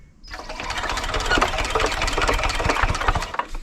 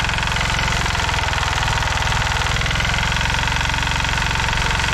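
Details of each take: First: 1970s Hatz diesel compactor roller, hand cranked after bleeding air from the fuel line, using the compression release: slow uneven chuffing with strong compression puffs and a little smoke, but it never catches; cranks but won't start. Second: 1970s Hatz diesel compactor roller: steady, even diesel clatter with a firm low thump and no misses or knocks, the engine running well; the drums are stuck and won't move.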